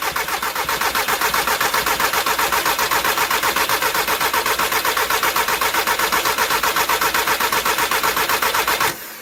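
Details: 2004 VW Jetta TDI diesel, morning no-start that only starts with WD-40: starter cranks steadily at about four turns a second for nine seconds without the diesel catching, then cuts out; extended cranking, no start.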